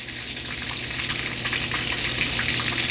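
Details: LG WT1101CW direct-drive washing machine after replacing a sticking relay on the control board (the drain motor had run constantly), drain pump humming steadily under rushing water during the spin cycle; it now runs normally.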